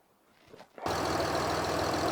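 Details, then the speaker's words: 1967 Ford Anglia 105E with a Mitsubishi 6A13TT twin-turbo engine, restarted after a smoking turbo was removed and an oil leak clamped. Engine catches after a pause and settles into a steady, even idle, no knocks or misses; some residual smoke burning off. "So as you can hear, apologies if this sound quality doesn't come out very well, it's running."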